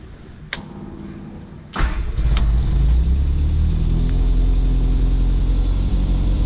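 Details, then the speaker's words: Austin America with SU carburetor, after new fuel filter, fuel pump repair, new battery and mixture adjustment: a couple of clicks, then the engine catches and settles into a steady, even idle with smooth low rumble. "sounds pretty good"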